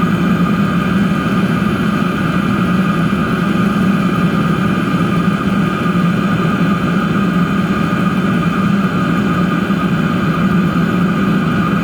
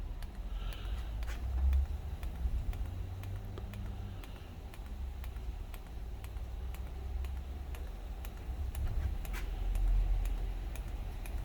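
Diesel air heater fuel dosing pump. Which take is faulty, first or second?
second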